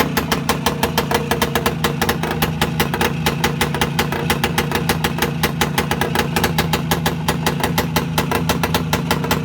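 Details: Voskhod 3 two-stroke motorcycle engine after a major overhaul at steady fast idle: crisp, even popping with no knocks, rattles or misfires; healthy.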